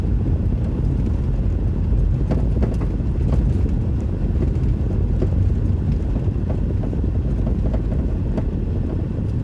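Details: 2006 Mazda 3 hatchback rolling over rough, uneven ground: scattered dull clunks through low road rumble from the passenger-side rear; shocks already replaced, cause unknown.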